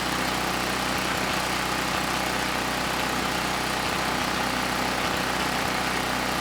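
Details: Campbell Hausfeld GN503100AC 5000 W generator, 9 hp Briggs Vanguard single-cylinder, started on choke: steady drone with occasional faint stumble under rough exhaust; engine sounds good but clone carburetor runs it way too rich.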